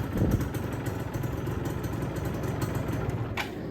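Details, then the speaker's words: Yamaha F1ZR two-stroke, fully reassembled with the body fitted, after repair of the crankcase bearing housing worn loose by a knock-off bearing. Steady, low, even burble at idle with no knocking or grinding. The earlier harsh noise is gone; normal idle. "Bodi udah terpasang dan suara mesin alhamdulillah sudah adem."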